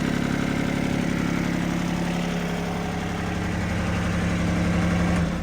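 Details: 2025R tractor idling after its broken H130 loader hose was replaced and the loader works again: steady, smooth diesel rumble with no knocks or misses, then it fades as the engine shuts down; it sounds healthy.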